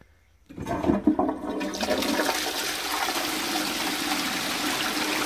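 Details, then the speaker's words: Post-1945 STOM Cardiff 146 cistern with Shanks siphonic closet, before restoration: water keeps hissing in steadily without shutting off; failing float valve not closing. "but as the float valve is failing i'll soon work out why it works this time you can hear his single nonstop"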